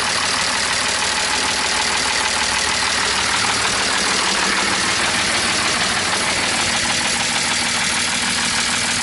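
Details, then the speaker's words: BMW E46 with a welded diff, right after a ride following rear trailing arm bushing replacement: steady idle with a hissy, rattly clatter at about three beats a second; abnormal engine noise, cause unknown, owner fears it's blown. "I actually just took it for a ride and now it's fucking... The motor sounds like this."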